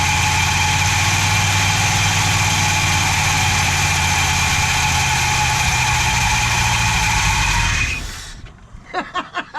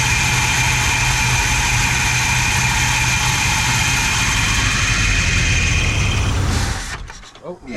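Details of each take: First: 440 big-block V8 from a 1974 Chrysler New Yorker, first run after sitting, started on fuel poured into the float bowl with a poor carburetor: strong, steady rumble with an even beat, no knocks or ticks, then shutoff; normal running. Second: Chrysler 440 big block V8 from a 1974 New Yorker, no throttle linkage, throttle held wide open by hand: roars loud and steady at full throttle, then dies when released; carburetor judged bad, only catches held wide open.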